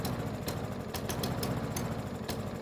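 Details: Yard Machines mower bought as a non-starter, rough, uneven running with sharp pops on startup; owner suspects the carburetor, which was not removed for proper cleaning.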